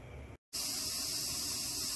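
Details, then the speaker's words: Presto pressure canner canning ground beef, heating up with 15-pound weight: steady loud high-pitched hiss as the vent blows air out, to be vented 10 minutes once blowing vigorously; normal venting. "Alright everyone, that's what we're looking for. That thing is hissing. It's actually venting out the air."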